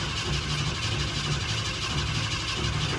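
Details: Ford F100 "Bumpside", first start after about 3 months parked, pedal pumped, possibly needing priming with gas; steady, uneven starter churn for three seconds with no catch or firing pulses; cranks but won't start, cause unconfirmed.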